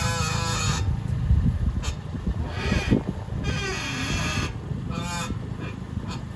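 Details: 2015 Toyota Corolla LE with electric power steering: a honking, groaning whine comes and goes in bursts as the wheel turns, also felt in the wheel and brake pedal, from a dry worn outer tie rod; owner feared the steering rack or strut mounts.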